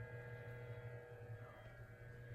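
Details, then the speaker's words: Early-1970s Electrohome 652-1 20-inch two-speed box fan, once thought to have a bad motor, now restored, on high drawing almost 2.2 A of its 2.3 A rating: smooth, quiet, even low hum, no knocks or rattles. Normal running despite dark windings. "so here it is on high oh it runs nice and quiet smooth"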